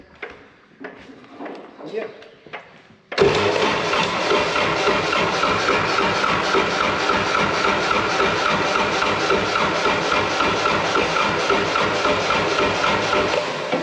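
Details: Wood-Mizer LT70 sawmill diesel after sitting for years, with fuel pump primed by key-on: steady rhythmic cranking about four turns a second that never fires. Fuel starvation suspected.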